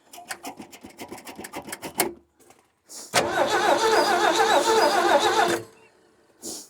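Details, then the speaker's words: 1967 Ford F100 long without fuel, points filed to restore spark, gas poured in. Steady cranking at about 3.5 beats a second, briefly catches and dies. A sticking float is suspected, and the starter relay later melted. "Crank on it some more. I mean, the house is gonna start. Well, I almost had a little bit there."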